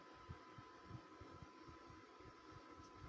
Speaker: I swear it sounds like a low hum vibration. I have the TV pause. It's not coming from there.